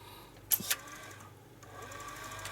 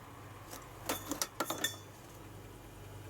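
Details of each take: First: Atari ST floppy drive, swapped drive refitted upside down on the cable: a couple of sharp clicks, then a brief faint spin that dies away; the drive starts then stops without reading. Cause suspected, not confirmed. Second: Salvaged-parts Atari ST booting Operation Wolf from a fresh boot: quick cluster of light head-step clicks, then a soft motor hum that builds; the floppy drive is reading normally.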